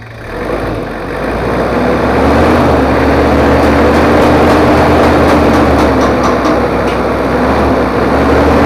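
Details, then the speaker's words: Toyota Kijang 2L diesel after engine overhaul for low compression and abnormal noise, stock exhaust, not yet fine-tuned; steady, even idle with smooth clatter, no knocks or misses. Normal idle. "suaranya Udah halus ini adalah suaranya jadi suaranya itu knalpot standart"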